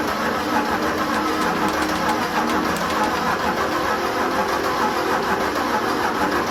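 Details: Defender 90 with a BMW X5 engine swapped in for the 2.4 TDCi: the starter cranks the engine over in an uneven rhythm, about one beat a second, and it never catches. Fuel pump primes. Earlier cranks flashed the engine light, assumed a high-pressure pump signal mix-up. Cranks but no start.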